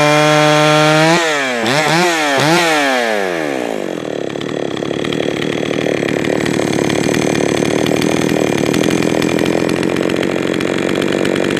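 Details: Jonsered 525 chainsaw, freshly fired up and tuned: quick throttle blips rise and fall unevenly, then a sustained high scream in the cut; hesitation and stumbling off throttle mean the low-speed mixture is too lean, so low-side fuel is richened.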